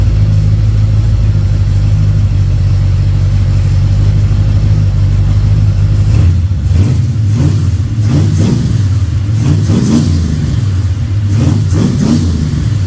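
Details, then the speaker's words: Freshly built 302 Cleveland V8 with Holley Sniper and new electronic distributor on first start; cam running, deep steady rumble with throttle blips rising and settling cleanly; runs smooth and even. "Cam is running, engine sounds sweet. You beauty."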